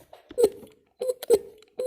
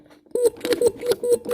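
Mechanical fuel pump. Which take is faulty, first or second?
first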